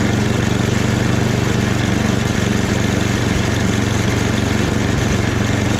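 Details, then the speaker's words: Free snowblower after a full rebuild, small single-cylinder engine at medium throttle holding a steady, even beat with no hunting or surging. Transmission works; runs healthy. "But even the transmission works. Everything seems to work with it. So I'm pretty surprised."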